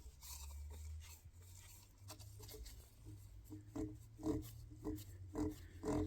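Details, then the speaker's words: 2nd-gen Yamaha FZ1 salvage bike, rotor/stator out: rough, gritty, notchy scraping as the rotor is turned by hand in the case bearing, showing play and resisting turning; bearings likely need replacement. "bearing should have be making that noise and like I said I when I tried to spin it by hand that doesn't want to turn something tells me that this bearing is in need of replacement"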